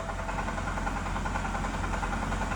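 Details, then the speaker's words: 2009 BMW 328i likely still low on oil after adding a quart: steady idle with a soft, regular knock under the exhaust note, getting quieter; suspected rod knock from low oil, not confirmed. "my guess is you're really low on oil though it's gotten better it's not as noisy but add some more oil you might be able to get the noise down"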